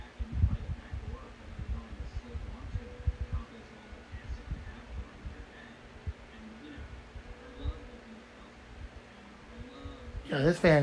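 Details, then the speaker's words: Fan bought in 2019 whose motor has had problems since new: a faint, low, steady buzz with only a thin rush of air, the motor struggling and turning weakly, cause not clear. "you're probably not going to hear the wind stream on this it's a very weak fan unfortunately"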